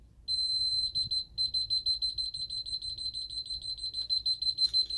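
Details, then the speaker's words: Ademco 6137R alarm keypad armed stay with chime, entry phase started without disarming: rapid even high-pitched beeps about three a second without letup, counting down the entry delay. "So let's go ahead and activate that. Now it's starting the entry phase. We're not going to disarm it."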